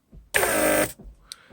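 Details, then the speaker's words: Mercedes W140 door lock vacuum pump on bench after motor repair, gauge-tested on lock/unlock: short clean even motor buzz starting and stopping crisply, reaching 0.7 pressure; pump operating normally. "I have it soldered there so you can actually see the pressure in vacuum when I'm locking and unlocking so 0.7 which is great"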